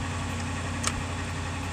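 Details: 2006 Ford Econoline E-350 that quit running, idling after fuel filter replacement: a low, steady rumble at an even idle with no stumbles, misses or hunting. Fuel delivery sounds restored.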